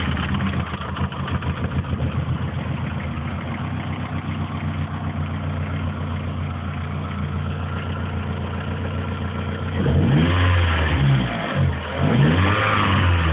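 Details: Opel Tigra engine problem: petrol engine idles with a quick slightly uneven pulse, then two short revs; abnormal engine noise, cause not identified.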